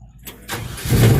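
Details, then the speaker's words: Truck with a Quadrajet carburetor, started after reconnecting the fuel line and throttle linkage during carb adjustment. A brief starter whir, then it catches at once into a deep, steady low rumble. It starts cleanly and idles perfectly. "this one fired right up. That grinder just nails it. Yeah. Idles perfectly and everything."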